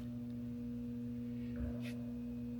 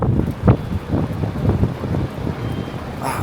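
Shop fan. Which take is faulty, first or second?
first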